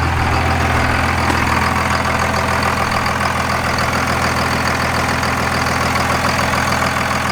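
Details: Second-gen 24-valve Cummins diesel after a brief throttle blip; steady, even idle clatter with a regular beat, no misses or stumbles: normal idle.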